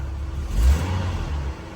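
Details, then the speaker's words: 1988 Jeep Wrangler YJ, cold start after converting from a burned-out pump to an electric fuel pump: a low, deep rumble swells cleanly in one blip and settles with no stumble. It used to hesitate badly when cold, blamed on the carb, and now fires right off. "But it just fires right off now. That's badass."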